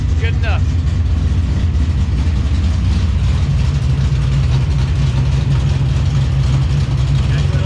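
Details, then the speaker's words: Freshly built dirt-track race car engine, not in gear, with an air filter fitted: a steady, deep idle with a mild, even lope and no ticking or knocking, running clean and healthy. "All right, there she is. Pretty tame. Got a nice air filter on it. Sounds pretty good. Got a little romp to her, not too"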